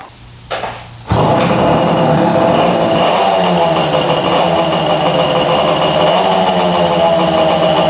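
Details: 1966 Yamaha YL1 motorcycle, revived free bike: loud uneven stumbling running under a thin high whine, oil spilling from pipes; crank seal and plugged exhaust pipe suspected, new plug no help, loses spark at high RPM.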